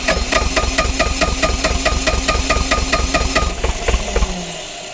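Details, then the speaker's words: Bobcat T595 skid steer, neglected and frozen solid, cold diesel cranking on a remote start box after glow plugs with fuel reaching the engine: fast even cranking with a few stronger puffs; nearly catches but won't run. "She's trying to start. Oh, it's so close."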